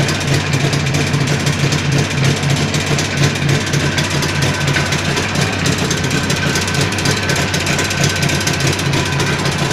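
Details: Jawa 638 two-stroke under build, tired cylinder-piston group, idling: steady loose knocking and chattering rattle throughout; crankshaft knock and chain rattle.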